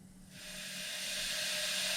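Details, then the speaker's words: Ducati 1198 engine on a leak-down test with belts off: silence, then a steady high airy hiss building as the cam cracks the inlet valve open on its ramp. Pressurized air escapes past the slightly open valve, showing valve leakage. "and you can hear it, and that's valve open. But it doesn't take a lot of valve opening to give you a whole lot of leak down."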